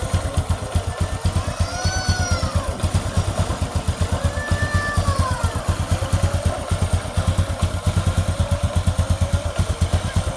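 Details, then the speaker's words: Honda Supra X 125 single after repair (cleaned rotary centrifugal filter): still a bit stiff as new, so idle raised slightly. Steady even exhaust pulses, no knocks or rattles, background music; normal idle. "kasih Wah bong karena mesinnya masih sedikit berat kita besarin sedikit lansamnya guys karena ini berat berat karena putaran mesinnya berat karenanya masih baru guys"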